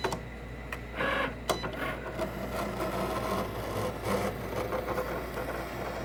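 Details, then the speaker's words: Cricut Explore Air 2 while cutting: quiet motor whirs and carriage moves broken by rough, crunchy scraping bursts; an abnormal scratching noise from the cutting mechanism. "it's that noise, that crunch, whatever noise, that scratching noise. You hear it?"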